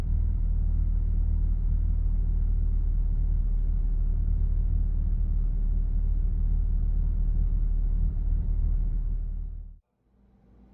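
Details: Stock Mazda FD RX-7 rotary, dead cold start, after re-enabling the double throttle control and replacing a vacuum line: a steady, even low burble at idle with no oscillation or stumbling before shutoff. This is a normal cold-start idle.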